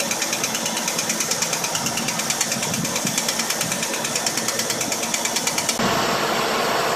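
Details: 2000 Holden VX SS Commodore: sharp, even ticking about three times a second over a steady run, from worn lifters and worn camshaft; knock fixed after replacing lifters and camshaft.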